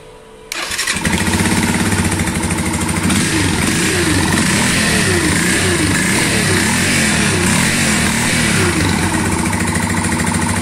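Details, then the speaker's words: Yamaha Fazer 150 motorcycle at idle: a rough, growling rumble mistaken by mechanics for a bearing; unplugging the stator connector changed the sound and it vanished on throttle, so the faulty stator is the cause. "desconectei até mudou o barulho da moto já dá uma aceleradinha acabou o barulho e Unos mecânicos aí falaram que era rolamento não é rolamento é o estator que tá com defeito"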